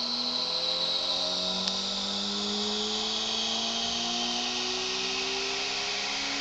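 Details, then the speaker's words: Experimental 3-phase pulse motor fully loaded with 9 coils, each on a Bedini SSG monopole circuit, phases wired in parallel: smooth whirring tone rising steadily as the rotor speeds up, no knocks; normal run-up. "Wow. Well, that's how it speeds up when all of them are on there, huh?"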